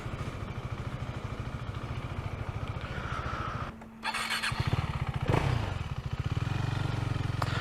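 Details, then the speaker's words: Husqvarna Svartpilen 401 with Akrapovic exhaust and Rekluse clutch, recorded on wired earbuds: the single thumps at idle, falters into a hissing gap, then catches roughly; labored, breathless start of unknown cause. "i don't like the way this bike starts it sounds like it can't breathe it's like [Applause] before it starts it's like this hissing sound i don't know what that is"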